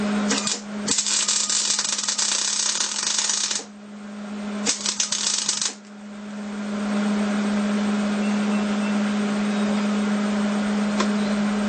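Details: Hobart Handler 210 MIG welder tack-welding horseshoes (not mild steel): short bursts of harsh uneven crackling arc over steady hum, sputtering because gas line wasn't purged; welds not porous, heat slightly high.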